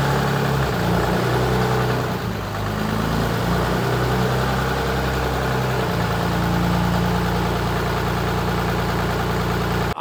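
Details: Dodge Ram one-ton truck driven slowly toward 30 mph in four-wheel drive after front differential pinion bearing replacement (bearing had been howling, pinion seal leaking): smooth, even driveline hum with no howl or whine; differential sounds healthy.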